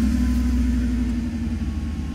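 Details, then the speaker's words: Mercedes (R129 SL500 / W124 E420) no-start, with faulty burnt-smelling airflow sensor unplugged: steady even low rumble, no misses or hunting; idles smoothly. "as a matter of fact you can see the car is running right now and once I will plug in cuz it smelled burnt to me already and once I will plug in the airflow sensor the car is going to die"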